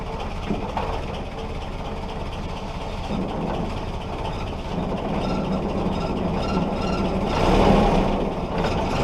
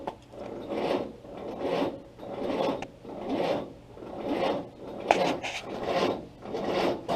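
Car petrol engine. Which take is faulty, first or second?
second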